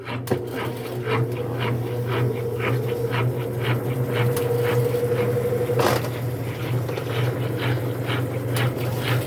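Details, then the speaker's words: Consul washing machine, very noisy on spin: motor drone with uneven cracking clatter about twice a second; gear that engages the second bearing driving basket and agitator is slipping, actuator suspected. "Ou seja a engrenagem que fez esse estralo todo é o que engata o rolamento para gerar esse agitador aqui tá"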